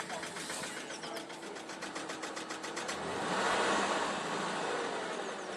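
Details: BMW E36 316 at working temperature: quick, even ticking about four beats a second at idle that disappears at about 2,500 rpm; owner thinks it was due to lack of coolant: abnormal engine noise when warm.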